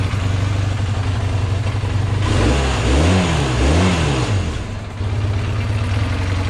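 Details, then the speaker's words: 1978 Honda CB400A Hondamatic with throttle stutter, after swapping to a rebuilt spare set of VB24 carbs: engine revs up cleanly and drops back twice, no stumble or misfire. Normal revving. "definitely what it's supposed to sound like."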